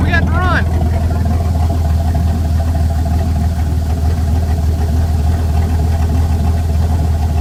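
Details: Dodge Dakota's first start in five years after replacing the fuel pump; steady, even rumble with no stumble or knock, settling into a smooth, healthy run.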